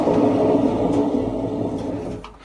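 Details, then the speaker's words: Washing machine before bearing replacement, drum turned by hand then on spin: rough droning rumble with wavering hum, quiet at slow speed but worsening as it speeds up; worn drum bearings. "şu an yavaş dönme modunda bir sıkıntı yok ama bunu sıkmaya aldığımıza bakın sesi duyuyorsunuz benim elimle azıcık döndürme bile bile ne kadar kötü ses çıkartıyor"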